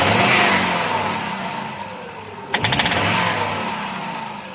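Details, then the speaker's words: VW T4 2.5 petrol: pulling away gently is fine, but stabbing the throttle gives a quick burst of sharp metallic knocks that fade as revs settle; origin unclear, flywheel mentioned as possibility. "Вот когда плавно трогаешь, нормально. А если резко нажать?"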